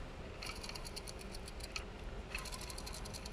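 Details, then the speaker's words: Skoda Fabia 1 alternator spun by hand gives a dry, gritty rattle in bursts instead of a smooth whir, from worn bearings; it could keep working like this, but the bearings are being replaced. "and this is the sound i don't like so it's clear that it it could work for a lot of time like this"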